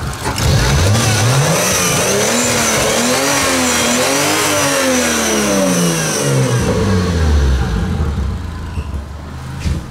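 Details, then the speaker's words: Toyota Supra 2JZ-GTE running lean in boost, sputtering and barely running: revs rise and fall with no turbo spool or whistle, only a rough exhaust note; turbo exhaust wheel found blown, possibly seized; no turbo spool on revving. "It doesn't make any turbo noises, and it. Doesn't even run. It barely runs."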